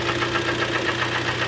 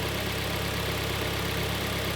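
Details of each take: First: Kia Sportage G4KD, front-wheel drive, 113k mileage: heavy rapid knocking at idle, sharp even taps over the engine; piston slap from scored cylinders, not timing, repaired by sleeving the block. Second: Kia Sportage G4KD, 113k mileage, heard from outside after a repair for a heavy piston knock (block sleeved, oil jets fitted): steady, even idle with no knocks or ticks; the engine runs smooth and quiet.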